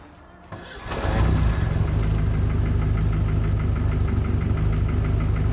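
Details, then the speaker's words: Volvo 740 sleeper with forged bottom end and prototype exhaust manifold, just back running after a head gasket failure: catches after a brief crank and settles to a rough idle with a steady light knock about four times a second, crazy piston slap. "we still got the crazy piston slap you guys know why you probably know why"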